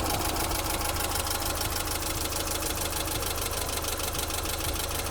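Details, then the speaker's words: BMW E30 318i automatic idling at operating temperature after fan clutch work: even idle with rising rush of air as viscous fan clutch locks up, pulling hard; temperature holding at half, cooling fan working properly. "I can feel that now that is blowing a lot more than before it's definitely hard to stop I can hear it now it's just started kicking"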